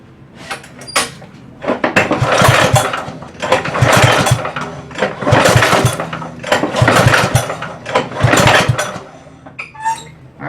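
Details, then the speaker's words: Ariens push mower after long storage, choke closed, no fuel shutoff: repeated rope pulls about every 1.5 seconds, each a short cranking whoosh with no firing. Won't start when pull-started; starter fluid into the carburetor is the next step. "guys so that was nothing obviously what I'm gonna do next is to spray some QuickStart right into the carburetor and see if we can get it to light off"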